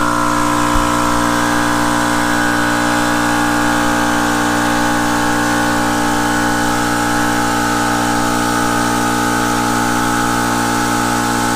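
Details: Air compressor that a Harbor Freight Jupiter 5000 W inverter could not start, run while its power draw was metered: a steady, even motor and pump hum at constant pitch with no knocking or labouring; it is running normally.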